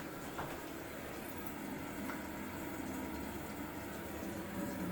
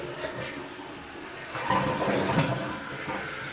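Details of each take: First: Kohler toilet with a Fluidmaster 400 fill valve: a steady hiss and gurgle of water trickling into the tank without pause as the fill valve keeps cycling, so the toilet runs constantly; a bad tank seal is suspected, not confirmed. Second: Kohler toilet with Fluidmaster 400 fill valve, checked and cleaned seal: strong rushing flush settles into steady hiss of tank refilling, no sputter or lingering hiss; normal flush and refill, fill valve working normally.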